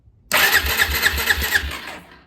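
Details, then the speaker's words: Possibly a 2004 Suzuki LT-Z400 ATV that sat five years: the starter spins the engine with even compression puffs about four per second, but it never fires. It cranks without starting; spark is checked next and appears present. "all right it does crank let me you take The Spar plug off and see if it has sport"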